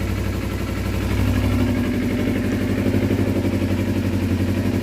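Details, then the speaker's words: 2012 Kawasaki Ninja 250R, just after carb installation, running on gravity-fed fuel without choke: steady, even idle around four pulses a second, no stumbles or misses; exhaust burning some crap off. "great success sounds good perfect idle didn't have to use any choke just going to let it run for a minute that's just gravity fed fuel right now"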